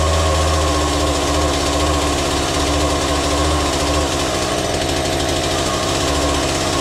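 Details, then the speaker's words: Chainsaw after repair with the air filter refitted: uneven, hunting buzz that sags and surges instead of settling, runs briefly but won't hold idle; idle adjustment needed. "Well, you heard it. It runs it for but for a moment I have no idle. So, I need to adjust that, but I will wait a little bit with that because it's very smokeoky in here right now."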